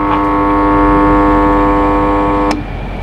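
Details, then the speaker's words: York air conditioner not cooling, recorded at the outdoor unit with the fan running and indoor light still blinking: steady electrical hum, repeating "tong tek" noise, then a sharp click cutout; compressor not starting, start-capacitor fault suspected. "ada dengar bunyi tong tek tong tek kan? Okay, so ada something wrong dekat bahagian outdoor ni. Ada problem dekat bahagian outdoor."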